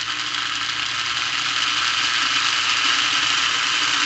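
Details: Lionel plastic-case Scout motor (#1110 2-4-2) on a test stand after cleaning the brushes and commutator: even, high whirring buzz holding steady with no stumbles or speed hunting; noisy but normal-running, cranks up well at high speed.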